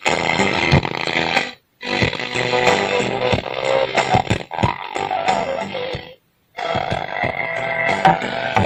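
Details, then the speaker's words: OCL 150 W power amplifier, hoarse, rough, gritty music output; BD139 driver transistor open at the collector. Fix: BD139 replaced with MJE340, BD140 with MJE350, 47µF 25V electrolytic capacitor with 47µF 50V, restoring normal sound. "jadi yang permasalahannya yang terjadi suara serak dari eggler bagian melalui tidak salah yang tadi bagian 139 jadi ke bagian kolektor tidak nyambung putus"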